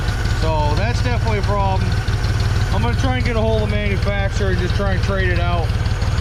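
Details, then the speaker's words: 1974 Ford 3550 industrial tractor, sitting 18 years: low, steady idle thump about three beats a second, even and unlabored, running smoothly; carburetor still floods when choked. "beautiful that's what we want guys"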